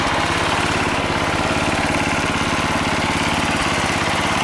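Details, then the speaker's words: Sears Suburban SS12 garden tractor, believed 1970, after freeing a carburetor with grease stuck in it, running around half throttle: steady even putter holding speed, no surging or stumbling; running healthy. "not bad not bad for a carburetor with a greased spinning stuck in it"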